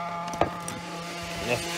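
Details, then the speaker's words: Maxy's Cinco 2.0 nitro RC engine mid break-in on a stand with Bones break-in fuel, oil pouring out; thin steady high buzz idling evenly, break-in going well, normal idle. "breaking fuel which this break has been going pretty good you're going pretty good uh she's starting to idle like nothing no problem"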